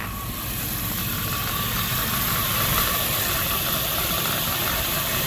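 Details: 2001 Dodge Durango 5.9 L idling warm after water pump replacement: light, uneven chattering rattle over the hum; owner suspects a failing bearing in the fan clutch or AC pump clutch, not confirmed.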